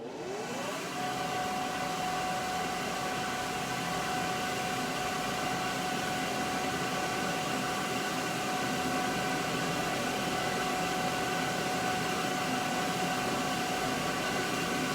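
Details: Homemade dust collector, blower temporarily mounted on the cyclone hat, inlet left open for a sawdust drop test: blower spins up with a rising whine settling to a steady high tone over even airflow; running normally.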